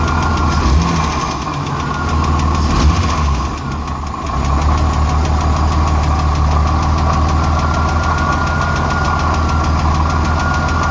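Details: Engine idling after the number 6 exhaust valve rocker arm bolt was backed off, which cured a misfire: a sharp, fairly regular tick of about three per second over the hum; owner suspects a weak valve spring, not confirmed.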